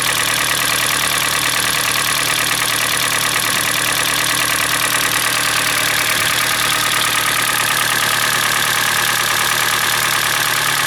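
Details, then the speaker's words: Hyundai Elantra (2012 or 2013) with G4NB engine, about 240,000 km (uncertain): hollow fast knock around three per second over a rough cold idle; knock is louder when hot; piston slap from scuffed cylinders. "Значит, сейчас я запущу данный автомобиль, послушаем, как он работает на холодную, потому что на горячую достаточно сильный стук, ну, хорошее прослушивается стучание поршня."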